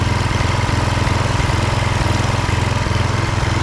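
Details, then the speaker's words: Husqvarna HU 625HWT string trimmer, a non-runner, after an oil change filled to the max mark, run outside: steady, even low-pitched putter with a regular firing beat, no misses or knocks; running smoothly. "Bring her outside, see how it works. Running nice."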